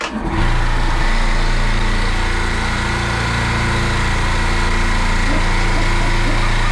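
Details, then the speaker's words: Dental office air compressor restarted after fixing a leaking pressure switch: motor starts into a steady, even, fast pumping beat with no knocks or hiss while pressure climbs to its 100 cutoff; running healthy. "so the okay so the pressure right here it's going up it's going to stop at 100"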